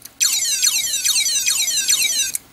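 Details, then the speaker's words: Old hard drive, possibly from a Sony Vaio laptop: high-pitched falling electronic chirps repeating about every 0.4 seconds; abnormal chirping noise, cause unknown. "I've never holy jeez I've never heard that before this sounds like an epic video game"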